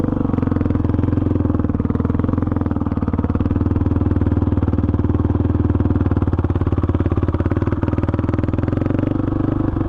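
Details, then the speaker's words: 2005 Honda CRF450X single-cylinder that sat 10 years, on its first ride after richening the needle one notch (two from bottom) and fitting a 190 main, with a 45 pilot jet: strong, steady beat, first-kick start, no bog or stumble; normal running. "this thing runs great honestly great starts up first kick doesn't bog anymore I think I might have this thing perfected"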